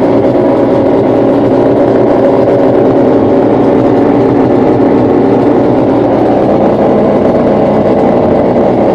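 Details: New LG refrigerator LFC20786 making a loud, steady motor-like roar, likened to a motocross bike, right from being plugged in; cause not known.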